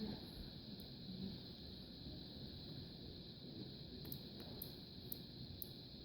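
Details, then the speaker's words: 2009 Mini Cooper R56 audio lock/unlock mod on an Arduino with a photo sensor and relay: sharp light ticks over steady hiss as the relay clicks twice on the unlock signal, meant to drive a horn. "So if it sees the signal, you'll hear 2 clicks here for unlock."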